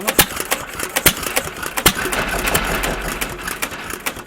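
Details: Stover CT1 1.5 HP hit-and-miss engine with Wico WK magneto, started after having been choked and flooded: sharp firing pops under a second apart with quiet coasting between; running on its own again, normal.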